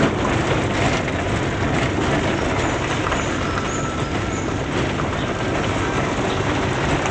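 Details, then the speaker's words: 2008 Suzuki Swift after front suspension, steering rack, driveshaft and front brake service, test drive on rough road: steady road rumble with no jingling or rattling from the front end; quiet front suspension, earlier jingle gone. "yaah Mas sejauh ini sih aman Bang gerincingnya udah enggak ada lagi Ya"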